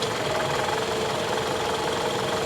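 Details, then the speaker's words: GMC Envoy XUV idling, heard under the hood, AC working and goes into gear: steady idle with a light, fast metallic rattle riding over it; mildly rattly engine, cause not identified. "she she does sound a little rattly doesn't she just just a a a little yeah a little rattly"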